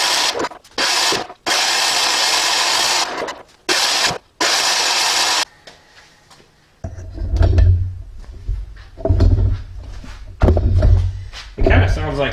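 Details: Cheap diesel generator sold as non-running, electric start with compression release: scraping noises, then uneven surging cranking that never catches. Owner suspects compression is not right and plans to check valve clearances and the injector.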